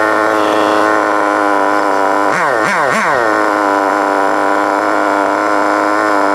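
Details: FTX Carnage 1/10 nitro truck, GO .18 engine, warm, after needle tuning and idle screw adjustment: high, buzzy, even idle takes a couple of quick throttle blips and settles straight back. Normal idle.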